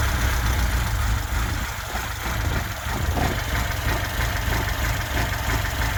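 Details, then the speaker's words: 1979 Lada Niva, reportedly tuned engine with twin downdraft Weber carb and K&N filter, started after fitting a new distributor and spark plugs: even, steady idle with light tappet patter and no misses; runs like a sewing machine, normal idle. "We put it down to the distributor, fitted a new distributor, new spark plugs, and now it strikes up like a sewing machine."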